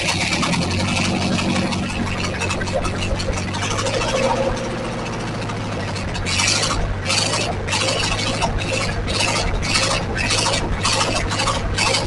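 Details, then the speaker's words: 1944 Ford 2N tractor running with coolant after water passages were flushed, engine now cool to the touch; steady low chug with a regular pulse over outdoor noise, even running; normal. "okay well I think it's working because this engine is so cool to the touch when we were running it uh the other day without any water this was really hot but today nice and cool"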